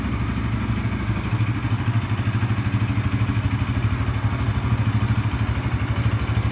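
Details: Bajaj NS 200 single-cylinder, dead battery after sitting a month, started by jumping from a KTM RC battery; steady, even beat pulsing a couple of times a second, no knocks or rattles; running healthy.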